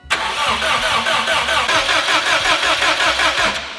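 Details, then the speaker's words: Priming crank on a fully built Subaru STI before first start: crank sensor and fuel pump disconnected so it cannot fire, only building oil pressure, 6.5 qt oil in Torque Solution pan, manual gauge. Steady even cranking, no firing; normal. "Crank sensor is disconnected, so it won't start. Fuel pump is disconnected, so there's no fuel. Main goal and only goal right now is to build oil pressure."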